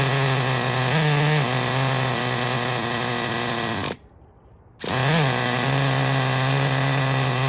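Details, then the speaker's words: 2006 Traxxas Nitro 4-Tec 3.3 RC nitro engine after rebuild, still needing tuning: high steady scream, brief rev, cuts out, then picks up and runs smoothly and evenly; runs like a top, healthy. "He runs like a top. Sounds good, eh? It sounds really good."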